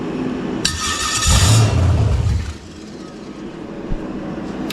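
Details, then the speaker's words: Carbureted engine on a run stand with an eBay carburetor, bowl refilled: it cranks, catches with a brief rough roar and dies within two seconds; acts out of fuel though it squirts plenty; owner suspects fuel delivery, stalling rich. "see now it acts like it's out of fuel I don't know this darn thing"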